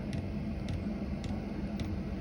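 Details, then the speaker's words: 2kW Chinese diesel heater fitted inside a VW T4 camper, running after first start: soft steady fan hum with a light even pump tapping about twice a second, no leaks; working fine. "it all seems to be working fine inside now can just hear the pump tapping no licks"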